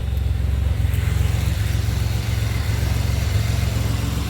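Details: 2007 Pontiac Grand Prix GT idling after a crank-no-start fix with a swapped fuse box. Steady, even low idle with a smooth regular beat, no knocks or misses; running normally.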